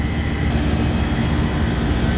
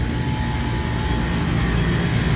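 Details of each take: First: Walk-in cooler refrigeration compressor after fixing both evaporator coils flooding back: steady, even low hum, no knocking or rattle; sight glass cleared, suction no longer ice cold, compressor running normally, head pressure control still suspect. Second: Three-phase compressor on a walk-in beer cooler at 57 degrees, skipped maintenance, drawing 13-14 amps: loud, heavy labouring drone, rough but with compression, possibly tripping thermal overload; consistent with internal piston damage.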